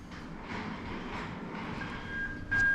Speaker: you can hear the buzz that's in reverse so we know that's all okay